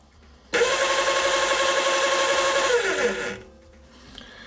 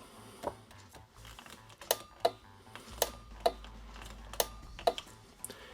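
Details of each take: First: Razor E150 scooter's 24V 150W brushed DC motor wired straight to a battery, bypassing the controller: a steady, even high whine for about three seconds, then the pitch slides down as power drops; motor healthy, controller suspected. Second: Razor E150 scooter, 24 V 150 W motor, after lithium 7s3p 18650 battery upgrade, throttle twisted: sharp dry uneven clicks about every half second, no motor hum; controller relay suspected.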